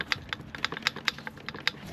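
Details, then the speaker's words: Old turbo removed from a customer's Ford Transit Custom, shaft pushed in and out by hand: light, irregular sharp clicks about five per second from worn bearings, with the shaft moving axially, not just loose. A new turbo is quiet. "The shaft's actually going in and out instead of just loose."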